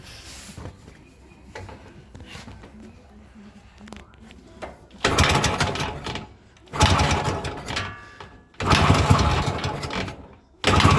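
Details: 1973 IZH Planeta 3 6V two-stroke fitted with new digital ignition (old switch assembly, short-to-ground wiring harness): after quiet fiddling it fires and runs in strong crisp rev bursts with no misfire; starts and runs fine now.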